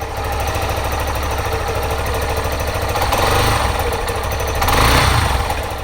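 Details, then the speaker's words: Yamaha Serow 250 (DG17J) air-cooled single, nearly 100,000 km, idle before overhaul: loud metallic ring, likely loose exhaust pipe bolt, and dull knock every few seconds, likely deteriorated bearings; both gone after overhaul. "The high-pitched, ringing noise and the periodic, muffled noise that occurs every few seconds have completely disappeared. The high-pitched noise was most likely caused by a loose bolt in the exhaust pipe ."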